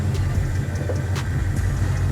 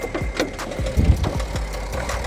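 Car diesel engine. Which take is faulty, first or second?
second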